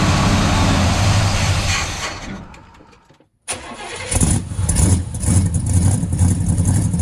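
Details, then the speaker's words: Buick 455 V8 project car that was ticking before: cranks and fires, briefly drops out, then settles into a deep, even idle with no ticking; oil pressure holding, but no generator light or voltage. "Yeah, the motor sounds good now. It was ticking before."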